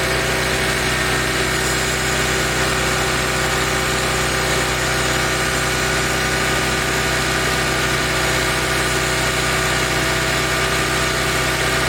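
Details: Mercedes SLK 32 AMG at warm idle with a steady double-beat "dadum dadum" rattle, audible from 40°C and distinct from the quick ticking. It speeds up with revs and disappears above a certain rpm. Source unknown.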